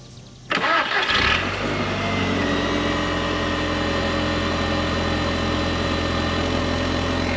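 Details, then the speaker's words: 2001 Audi TT 225, 6-speed, first startup after purchase: quick start into a smooth, even idle with a loud steady high jet-like whine from the secondary air pump. "Sounds pretty good, besides the secondary air there going on there. Sounds like a jet airplane."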